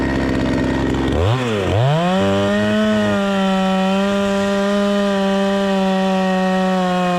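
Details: Proyard 450 chainsaw after repair, cutting wood: revs up, bogs briefly into the cut, then holds a steady strong tone under load with no misfire; normal running under cutting load.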